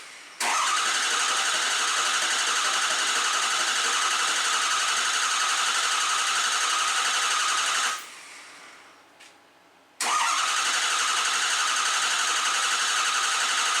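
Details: Diesel truck engine after high-pressure pump failure and piston replacement, reassembled with O-ringed heads and ARP studs, first start: catches to a steady clatter, fades out, then restarts. Start-die is attributed to air in the high-pressure oil and low-pressure fuel systems.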